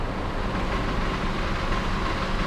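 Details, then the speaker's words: Honda Civic G10 engine running: steady idle with fine rattly buzz through the belt area; belt tensioner visibly vibrating and noisy, worn, replacement planned. "Quero mostrar para vocês também aqui um barulinho que esse carro tá fazendo de tensionador para que vocês quando escutar esse barulho já vai ficar ligado aí"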